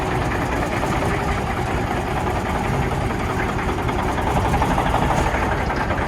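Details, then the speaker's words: 1991 Autocar heavy-duty tow truck with a cam Cummins diesel and an 8-speed Road Ranger, cold start: it starts right up, then idles with a loose, uneven lope and rough chuffing, not running on all cylinders. The owner says it needs injectors. "It sounds like it's not running on all cylinders, right?"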